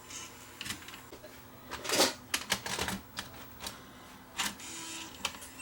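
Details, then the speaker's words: Sony DSR-11 DVCAM deck failing to load tape: scattered clicks and brief motor whirs with no smooth loading cycle; reels stuck in large-tape position, not retracting for small tapes, and large tapes also rejected. "it's not retracting the the uh the reels in for the smaller tape you see when you push a tape in it should pull those should pull those uh spools back in"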